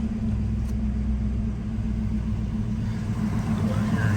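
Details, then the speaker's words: 1988 Ford Mustang LX 5.0 V8, 5-speed, 13k miles, dead cold start: smooth, even low rumble with a steady idle beat, no knocks or ticks and zero exhaust smoke; clean normal idle. "here's the exhaust zero smoke out of the car has a great sound to it hear it idle down there"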